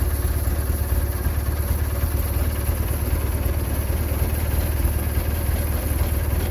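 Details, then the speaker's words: Husqvarna GT twin-cylinder engine on a cold start: fires up easily, low steady even thrum with no knocks or misses; charge light still on, starter troublesome. "I was originally thinking it was going to be more of a cranker wanker video, but it actually fired up a lot easier than I thought."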